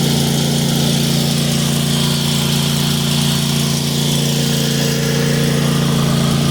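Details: New 2022 Cub Cadet XT1 ST54 riding mower running: even, steady drone at constant pitch, no skips, rattles or surging; perhaps slightly louder than old Briggs & Stratton Craftsman; normal running.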